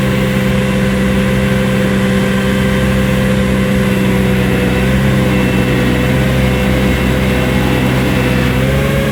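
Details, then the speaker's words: New Vermeer SC1052 stump grinder engine under heavy grinding load: steady even drone holding speed without bogging, surging or knocking; passed hard torture-test use, healthy. "We punched it and brutalized it, and it survived. It did perfect."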